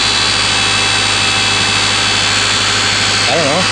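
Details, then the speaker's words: Honda CRX just after alternator replacement, battery light now off: a steady, piercing high-pitched whine over the running engine that doesn't change pitch, seeming to come from the new alternator; extra belt tension didn't help, cause suspected, not confirmed. "now i am hearing a loud not loud but uh a pitching house i don't know what to call it a high pitch noise definitely sounds like it's coming from the alternator"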